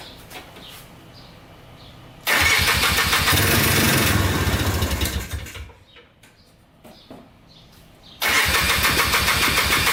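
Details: Polaris Trailblazer 250cc two-stroke quad, first start after cheap eBay piston/cylinder top-end kit, rebuilt carburetor and new oiled air filter: fires quickly, settles into fast, crisp, even ring-ding on choke, blipped once; normal start and idle.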